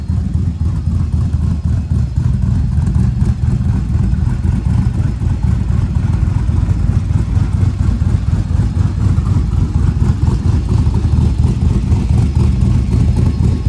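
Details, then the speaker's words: 1937 Diamond T truck at idle with the chop tune reinstalled: a deep, loud, uneven lope about four times a second with a choppy cam-style beat. The torque converter no longer rattles when it chops; idle is as intended. "well I put the chop tune back in since now the converter doesn't rattle when it chops so listen to"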